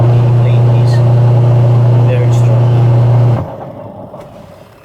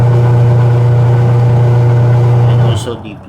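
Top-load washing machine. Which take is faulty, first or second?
second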